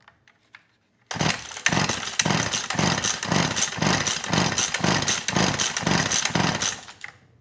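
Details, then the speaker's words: McCulloch Eager Beaver 2.0 CID chainsaw, carb previously cleaned and rebuilt by owner, choke on, ignition on, fuel in tank: about eleven pull-cord strokes, no pop or catch, compression feels good; cranks without firing, fuel/carb later found to be the issue. "yeah i get nothing from this engine feels like the compression's good"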